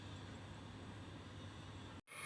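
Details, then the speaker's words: JBL Cinema SB400 subwoofer amplifier with the suspected IC removed: a constant, even, rhythmless hiss persists. The IC is not the cause; the fault may lie in the output section. "जो है यह IC को निकाल दिया है और IC निकालने के बाद भी आप सुन सकते हो यह हिसिंग साउंड नहीं जा रही है"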